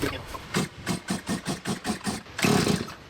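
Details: Stihl MS170 chainsaw after muffler mod and adjustable carburetor fitted, tuning screws being adjusted, fuel tank found low or empty: about eight quick pull-start strokes, short whirrs, no firing; no-start.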